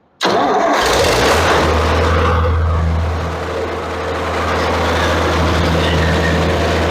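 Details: 1966 International 656 tractor after engine overhaul for a worn-out engine, timed at 2 degrees at idle; catches instantly and settles into a steady, even low idle with no misses or knocks — normal start and idle.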